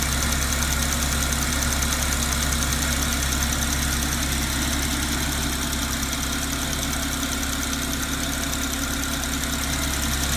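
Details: 2010 Porsche Cayman S 987.2 DFI engine idling steadily with a quick, even ticking riding over the low hum; owner asks whether it is normal and where it comes from; cause unknown.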